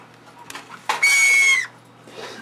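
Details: Toshiba Satellite laptop suddenly makes odd, animal-like chirps and a sustained high squeak; the hard drive was defective, destroyed all data and had to be replaced.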